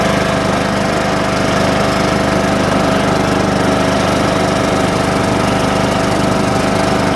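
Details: John Deere small single-cylinder engine back running after a slow start from sitting with a weak battery on a 47°F cold morning; steady even rapid beat, no misses or stumbles, left to warm up; healthy normal running.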